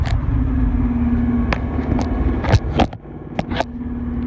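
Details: Chevrolet Corvette C6 driving in gear: steady hum with scattered sharp clicks or ticks; only after warming up, gone after idling a few minutes, not heard when revving stationary; cause unidentified.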